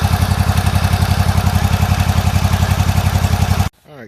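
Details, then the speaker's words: Toro zero-turn riding mower, about a year old, after new plugs, running and cutting: strong low beat near 220 per minute, lumpy as if one cylinder skips, backfiring, then cuts out; compression and valve clearance later checked good, carburetor pulled. "well it runs and cuts you hear the back car I do here it is back fire"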